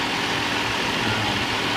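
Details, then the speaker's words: 2005 Chrysler Town & Country / Dodge Grand Caravan after timing chain replacement: smooth even idle with steady low hum, earlier rattle gone, slight belt noise it always had; normal idle, quieter and smoother. "I noticed we're not hearing that rattling sound anymore I still get a little bit of a belt shirt which the vehicle always had"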